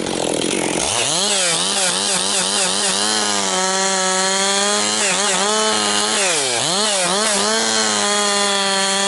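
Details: Husqvarna 262XP two-stroke chainsaw after rebuild, several tanks through it and breaking in, pushed harder cutting 4–12 inch pine firewood; crisp revs climb and dip biting into wood, quick pickup, no bogging or misfire.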